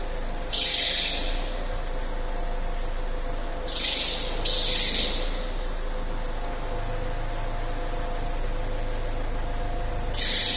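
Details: Alfa Romeo 159 JTDm diesel at idle: short hissing, belt-like squeal bursts each time the steering wheel reaches full lock, then die away. Noise at full steering lock.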